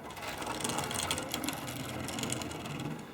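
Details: Old Tri-ang Transcontinental Pacific model locomotive after correcting upside-down connecting rods, running on test layout with old-style controller; irregular rapid rattling and scraping clicks over light whir, rough uneven running, owner suspects oversized wheel flanges or possibly damaged motor.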